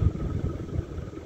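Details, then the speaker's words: Ceiling fan with upward-angled blades that barely clear the ceiling beams: a low, pulsing whoosh beating a few times a second like a helicopter, from air churned against the restrictive beams. "the blades on this fan are kind of angled upward like a fastco Charleston and they barely clear to beams it gives it a helicopter type noise too"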